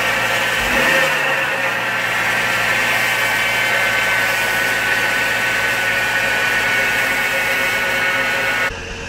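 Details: 2004 GMC Envoy XLT, 4.2L I-6, about 250,000 miles, cold morning in the mid-20s °F; steady gritty whir over idle, constant pitch, like a dry bearing; tensioner and idler pulleys already replaced, noise persists; oil pressure gauge also fluctuating.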